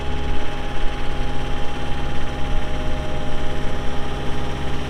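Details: 2018 Caterpillar 262D skid steer diesel, 1,242 hours: deep, steady rumble with an even hum and no knocks or misses; normal idle.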